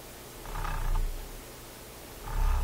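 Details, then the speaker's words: Garrard 121 MKII turntable in Viking console stereo, platter spun by hand: low hum swells with a faint dull rumble underneath; slight platter bearing rumble, platter turns freely, mechanism suspected badly lubricated. "Ooh, a little bearing rumble. Okay. Platter feels like it's turning freely."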